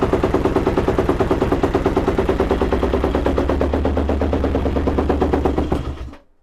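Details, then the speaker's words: Yamaha YFZ 478 hybrid (WR450 engine) ATV, choke pulled: fast even cranking chugs for about six seconds without catching, way too many chugs; hard starting, carburetor to be removed and worked on. "all right so we did get it started way too many chugs"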